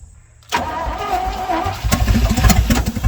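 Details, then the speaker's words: 1967 Chevrolet C50 truck sat about nine years, fuel poured down carburetor vent, new accelerator pump barely dribbling: starter turns engine with uneven chugging beats and near-catches but never fires; cranks but won't start. "oh come on girl it sounded like you wanted to just a little bit"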